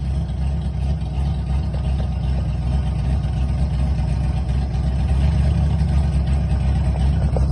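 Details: TI-tuned drift car with new braided stainless PTFE fuel hoses: steady, even low idle rumble with no misses, knocks or hunting. Fuel pressure holds where it should with no losses.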